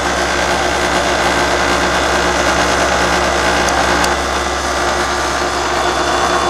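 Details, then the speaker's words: Older York fixed-orifice heat pump after recharging from a low refrigerant charge: even low hum under steady fan rush, no knocking or rattling, compressor sounds like it's actually working, drawing 3.8 amps against a 9 amp spec. "Hopefully you can hear the way this thing sounds now. Sounds a lot different. Sounds like it's actually working."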